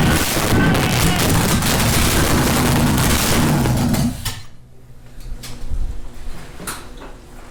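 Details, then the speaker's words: Plymouth V8 started for the first time, after a weak starter and lots of fuel, with ATF leaking onto the headers: a loud, lumpy rumble through open headers for about four seconds, then it drops away to quiet, the engine starting. "try that well it's starting to sound better i'm going to give you a little bit more"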